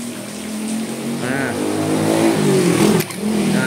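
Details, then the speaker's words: Mitsubishi Colt T120SS starter motor bench-tested off the car on a battery, old vehicle that wouldn't crank: spins freely but its whirr wavers, coarse and uneven; works but rough. "Nah ini kurang kencang kalau seperti ini"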